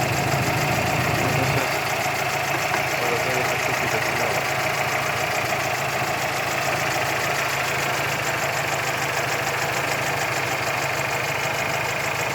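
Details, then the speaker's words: GAZelle with a 4216 engine: a dull, heavy knock from low at the rear of the engine, about three a second at idle, tracking engine speed. It was a broken crankshaft at the last (5th) journal, with the flywheel loose. "вот зашла автомобиль газель со стуком двигатели стук глухой продается снизу сзади двигателя предположение были о том что то ломаный коленвал"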